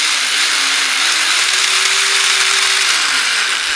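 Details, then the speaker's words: DeWalt D25003K rotary hammer with chisel fitted: won't stay in hammer mode, motor whines with fast uneven ratcheting but no blows; cause unknown; rotary hammer not hammering. "You can hear You can hear it trying. I'm not really sure what's going on there."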